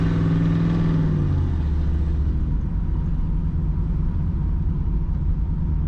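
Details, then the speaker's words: Project Z28 V8 after a short warm-up, put into gear after earlier stalling problems; brief rev dip, then a low, even rumble with no popping or misfire, no stall; normal idle in gear. "Alright, well, it's idling in gear. See what happens. Well, at least we're not running 30 at idle. That's a good thing."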